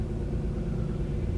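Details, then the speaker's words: 2018 Corsa E with only 10K miles, a salvage repair, on first start after the loom was sorted and faults cleared: low, steady, even idle with no misses or rattles. Normal idle. "Okay, so that was relatively successful. It's running, which is a good thing."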